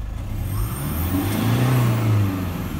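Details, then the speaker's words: 2005 Toyota Hilux Vigo KUN26R 1KD-FTV diesel (Euro 3, no EGR cooler), road tested after new injector replacement, revving and returning to idle: deep even rumble, no injector rattle, slight knock back at idle judged normal. "quiet is that? No rattle at all. Bit of a knock as it comes back to idle. Sometimes. Yeah, hear that? Normal. Nothing wrong with this car, I'll tell you."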